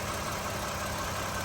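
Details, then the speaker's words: 2013 Toyota Sienna Limited after replacing the water pump, idler pulley and serpentine belt: smooth, even idle with no squeal, chirp or rattle from the belt end; normal. "no more noise from the engine compartment problem water pump and idler pulley"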